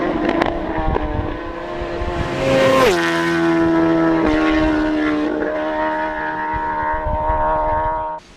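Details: Kawasaki Zephyr 750 under restoration, carbs just fitted after ignition fixed: long steady starter whirr rising and settling, engine never catching. Cranks but won't fire; tank had run out of fuel.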